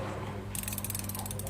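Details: Newly bought ratcheting wrench set: rapid, evenly spaced light clicks as the handle swings back; some play; ratchet pawl working normally.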